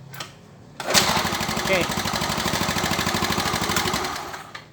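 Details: Yamaha Mio Soul with hard starting and carburetor backfiring, ignition timing suspected, tested with the original CDI: small single-cylinder engine catches and runs with an even, steady putter for a few seconds before shutting off; runs normally.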